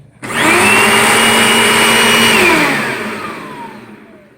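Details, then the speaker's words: Dirt Devil Featherlight 10.5 amp direct-air vacuum with a new bag, new belt and cleaned brush roll. Motor spins up to a steady, even high whine and coasts down smoothly with no detectable bearing noise; runs fine. "No problems with any bearings that I could possibly detect."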